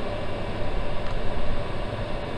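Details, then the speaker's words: 24 V 8 kW all-in-one Chinese diesel parking heater after shutdown from highest setting: steady low whirring blower hum at an even level, continuing to run to purge heat so housing and circuit board aren't damaged; normal. "fan has to continue to run and uh take the heat out of the unit or else it would obviously just melt its plastic housing off or destroy the circuit board that's on it"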